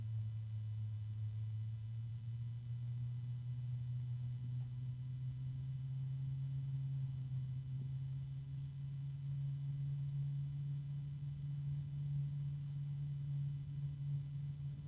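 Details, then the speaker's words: PC case fan (3-pin plus Molex) at its slowest speed, held close to the microphone: very quiet soft steady low hum with faint bearing noise, no rattle or ticking; rated 21.2 dB, running smoothly. "And it's very quiet, although there is some noise coming from the bearings. But it's a very, very, very quiet noise. It's got a low tone."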